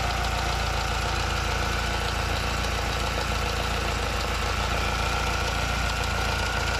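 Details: Alfa Romeo 75 1.8 i.e. Indy engine idling steadily with a rough gritty grinding, about three to four pulses a second; source not pinned down.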